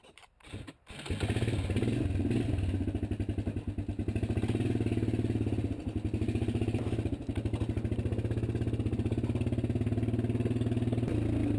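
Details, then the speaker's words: 1993 Suzuki Quad Runner 230 single-cylinder after fixing the loose front motor mount with correct bolts and bracket: starts quickly, then a steady even thump with no shake or rattle; vibration gone. "That was definitely the fix because it's not vibrating anymore."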